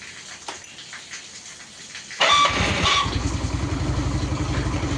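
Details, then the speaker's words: Carbureted Yamaha Mio scooter, after service for refusing to idle even when warm, fires at once on the electric starter and holds a steady, even idle. Its starter squeak is suspected to be a dry starter motor. "Gengs. Tok Cir udah, Langsam juga."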